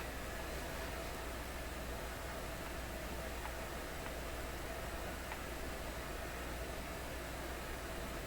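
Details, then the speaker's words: McIntosh MR71 FM receiver brought out of storage not working, powered up with a hanging wire antenna and muting out: only a steady even hiss with a faint low hum and no station received; cause unknown, he wonders about his own setup. "Here's nothing. Okay, is that because I'm doing something wrong?"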